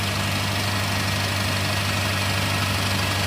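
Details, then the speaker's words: Acura TSX with custom exhaust from stock mufflers, warming up at idle: loose metallic rattle over steady idle; owner suspects clutch throwout bearing, also a known heat shield rattle; rattle at idle. "What the hell is that rattle? Ah. I'm hoping it's the clutch. Oh, so the input shaft bearing. Not the input shaft bearing, the throwout bearing."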